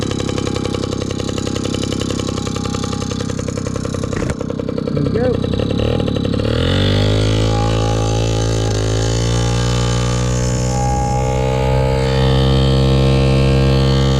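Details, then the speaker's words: 1983 Honda QR50, unrestored 49cc oil-injected single-cylinder two-stroke, just started from dead cold: crackles and revs unevenly at first, then settles into steady even buzzing idle; normal idle. "now it's time to see if we can get the old girl running it's cold completely dead cold"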